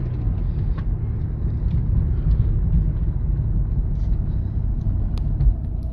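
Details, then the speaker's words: Mazda MX6 Turbo AWS that sat abandoned: loud raw rumbling idle with rough pulsing chuff from a muffler/exhaust leak; motor otherwise sounds healthy, tapping noise assumed from lash adjusters bled of oil while sitting. "it's got a muffle leak but listen to her the motor sounds healthy it has got to fix up the leak exhaust leak fix up the tapping noise"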